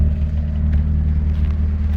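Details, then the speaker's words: MG ZR 120 at idle, slightly fruity tailpipe: smooth, even low idle with a steady deep hum and no knocks, misses or ticks; engine sounds very smooth and healthy. "sounds very smooth otherwise yeah listen to that very nice very nice sounding engine"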